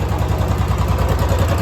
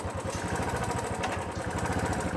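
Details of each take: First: Royal Enfield Classic 350 (BS6) after repair, with loose valve guides addressed and timing adjusted, hydraulic lifters not replaced: steady, quiet single-cylinder idle with no ticking, silent even when throttle is applied; normal idle. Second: Royal Enfield Classic 350 at idle and on throttle, before repair: fast, uneven ticking about four per second that grows with revs, from loose cylinder-head valve guides, not the hydraulic lifters, plus slight timing noise; valve guide tapping noise.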